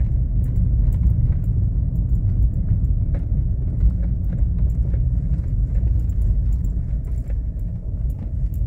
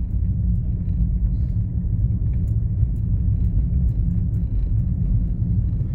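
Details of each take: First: VW Polo driving on a fairly regular street: irregular dull knocks through the low road rumble, sounding like a stabilizer link or steering rack but actually a worn lower control-arm ball joint; replaced. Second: VW Polo (Polo/Fox line) driving down a street after replacing the front control-arm ball joint and bushings: steady low road rumble, no knocks; front now quiet, a remaining tap from the rear, owner unsure if rear axle bushing or rear shock mount.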